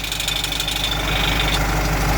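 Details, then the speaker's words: VW truck, diesel idle: sharp rapid ticking heard from the exhaust, mistaken for engine knock; the small exhaust brake piston has been lost. "É o pistãozinho que você perdeu. O pistãozinho do freio a motor, que fica aqui, ó. Aí você perdeu o pistãozinho."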